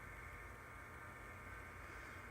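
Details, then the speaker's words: HP 35900B chromatography interface unit, first power-on after no-power repair: faint steady whir with light hiss from the cooling fan running normally, power light on, though a fault is shown. "I hear the fan obviously we have the power light illuminated"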